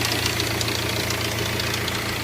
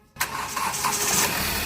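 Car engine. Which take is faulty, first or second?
first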